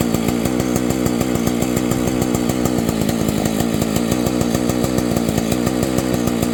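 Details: Rebuilt vintage Husqvarna 285 chainsaw with replacement cases and cylinder, just after carburetor refit: two-stroke buzzes at a steady, even rate. It starts easily and idles, but later stalls; owner suspects ignition.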